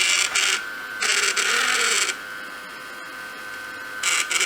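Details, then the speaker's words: Samsung Jet 90 Pet vacuum turbo brush, lightly used, after tightening a screw and reassembling: uneven rattly bursts over the vacuum's high hiss, something still jumping in the brush drive; owner suspects the pulley's sliding bearing point needs grease. "I can still hear something jumping around. It's like everything's too clean now."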